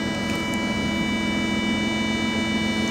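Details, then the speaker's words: Jaguar with engine off: constant high-pitched electrical whine with several fixed tones and a low hum, formerly only with a door open, now constant; check engine light stays on, battery not drained; source not identified. "now even when the car is shut off makes it nice all the time i used to only make that noise point a door open and hear you on the neck is you going to set it up so now it makes that noise constantly"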